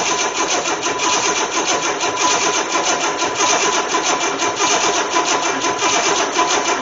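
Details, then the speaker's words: Engine from a 1984 Corvette that sat about 20 years, test-run outside a car on a hot-wired distributor with fuel poured down the throttle bodies: steady starter churning with rhythmic rocking from high compression, never fires; cranks but no start. "boy I'm just turning it over is making this engine jump I don't know this is necessarily really a good idea"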